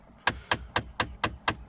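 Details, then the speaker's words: 2013 Jeep Patriot HVAC with the temperature knob turned to full cold: sharp, even clicks about four a second from behind the dash. The blend door actuator is clicking at the end of its travel and stops just off cold. "it's only whenever you go to the cold on the uh blend door and then you'll eventually hear that clicking whenever it gets all the way uh to the"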